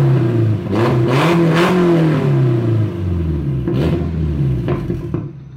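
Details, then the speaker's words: Nissan S14 drift car blipped at low revs with the new exhaust pipe too short to reach the blast pipes, sitting only on the hangers and disconnected: raw, loud, unmuffled blat on each throttle blip, an exhaust leak. "I didn't want to rev it too much, but it's kind of disappointing that I couldn't get this exhaust on."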